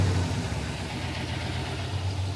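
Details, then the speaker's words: Lumpy, uneven V8 idle on a 1986 Pontiac Firebird Trans Am; one side firing fine, at least one dead cylinder on the other, running on six cylinders, after fitting a missing intake air temperature sensor. "When you listen to this side versus that side, it's not the same. These ones are all firing on this side. Yeah, now come over here. We got at least one dead hole over here."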